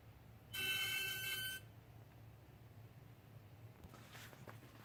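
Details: 2013 BMW 535i M-Sport, 26,400 miles, engine off and parked 20–30 minutes: steady high whistle from the engine area for about a second then fading; the AC compressor was the cause, and replacing it removed the noise.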